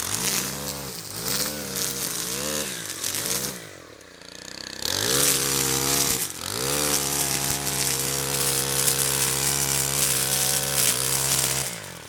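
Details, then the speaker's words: Stihl FB131 converted to trimmer head, carburetor tuned and warmed up, cutting weeds under load: revs rise and drop as it bites, then holds a steady high buzz, running clean and strong, normal. "okay well Pat Uh looks like it is doing great uh go ahead and um I tuned up the carburetor uh and uh she's ready to go"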